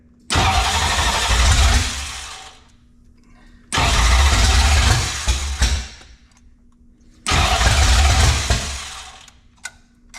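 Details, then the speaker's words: Ford 5.0 302 roller engine in a 1966 Mustang, first start: three cranks of about two seconds each, engine turns over sluggishly and won't catch; slow cranking, ignition timing or ignition not staying hot off starter suspected. "I don't remember if that sounds slow or if that sounds too far ahead okay ready yep that sounds really slow"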